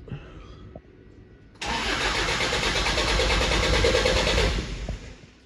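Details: Toyota Hilux LN106 with swapped 1KD-FTV diesel, first fire-up, no coolant in yet: the starter churns steadily at about three turns per second for three seconds and never catches. Air in the fuel lines after the fuel system was apart needs bleeding.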